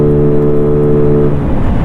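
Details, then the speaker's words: GY6-type Chinese gas scooter with no rev limiter, accelerating toward 40 mph: steady high-pitched drone well up in the revs, then rougher roar as it pulls; healthy, reaching top end faster. "you can hear the RPMs they're way up there now I love it it's got so much more"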